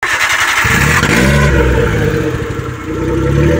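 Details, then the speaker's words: Minivan with exhaust pipe broken off where it joins the muffler, before acetylene welding repair: loud, raw, blatting exhaust roar from startup with harsh open firing pulses; exhaust leak. "Napakaingay po yung tunog mga boss. So ito po ang dahilan mga boss na napakaingay po yung tunog niya dahil naputol po itong exhaust pipe mga boss."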